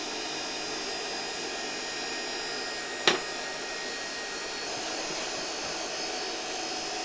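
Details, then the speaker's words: 1973 Electrolux Z320 vacuum cleaner motor, faulty RIFA suppression capacitor removed, bench-run at 24 V; quiet steady high-pitched hum, no brush sparking, one brief click; normal motor running. "I think it's quite nice; this motor runs quietly."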